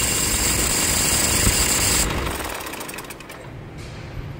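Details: Toyota Hilux 2.5 diesel: a high scraping hiss over the engine that cuts out a split second before the engine fully stops at shutdown, with a bearing-like noise in the background; points to a failing alternator overrunning pulley.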